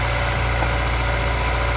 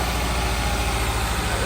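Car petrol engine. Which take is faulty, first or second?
second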